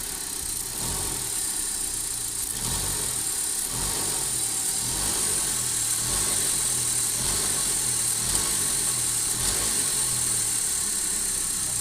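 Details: Idling car engine with dull, repeating rod-knock-like tapping through a hissy running sound; owner suspects non-magnetic shiny metallic specks found on the V-belt caused the noise.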